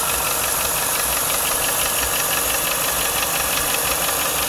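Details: 1995 Lincoln Mark VIII LSC, Ford 4.6 DOHC V8 at idle: crisp, fairly regular tapping about three times a second; owner unsure whether lash adjuster tapping or piston slap/rod knock.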